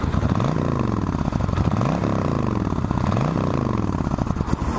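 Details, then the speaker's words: 1996 Suzuki VS1400 Intruder motorcycle with stock exhaust: repeated smooth throttle blips rising and falling cleanly from a low, muted burble, no rattles or misses; normal, quiet but decent stock exhaust note. "Now, it's still got the stock exhaust going on, so you can probably not hear it too well until I give it a little bit of a shot."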